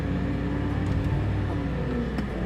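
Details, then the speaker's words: BMW M5 naturally aspirated 507 hp V10, neglected, put in gear to inch into garage: steady engine drone with pitch rising under load while the car barely moves; clutch slipping badly. "so it'll go forward but it just starts slipping really bad see if we can get it"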